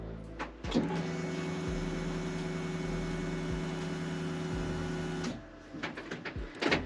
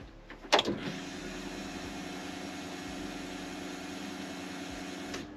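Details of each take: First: BMW E46 328Ci drift car, after fuel filter change and fitting a Walbro Motorsport 255 L/h 8.5 bar fuel pump: ignition cycled several times to fill the filter; steady electric pump hum about 4.5 s, then stops, with air bubbles gurgling in the return line. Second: BMW E46 328Ci drift car, key on after a fuel filter change and Walbro 255 L/h pump fitment: steady electric whir for about four and a half seconds then clean cutoff, air bubbles heard in the return line; normal fuel pump priming.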